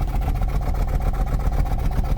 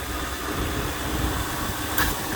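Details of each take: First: 2004 Toyota Celsior with 3UZ V8, cold, heard at the tailpipe idling with a lumpy, uneven pulse instead of a steady beat; rough idle smooths out by 2,000–3,000 rpm, cause not yet known, vacuum to be compared when warm. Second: 2001 Lexus LS430 with 3UZ V8: quiet, even idle with a soft hum and a couple of light clicks, engine vacuum around 20 inHg (about 70 kPa). Normal, healthy idle.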